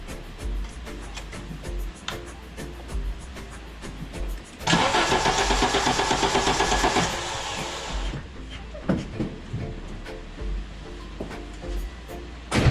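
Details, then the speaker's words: 1985 Audi GT Coupe, unused for years, misfire and rough idle despite new plugs and wires: steady even cranking pulses about three per second during compression test, about 145–150 psi; compression good, vacuum leak suspected next. "it's a cylinder number one 150 psi just under 145 psi"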